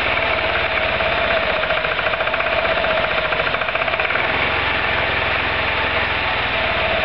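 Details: Roketa MC-54-250B scooter, 1730 miles since July 2008, stalls when stopping. Small single revs up and down, rough and uneven with a dry ticking chatter, and sags and dies under rear brake. Cause: intake and exhaust valves had zero gap at TDC; fixed by adjusting them.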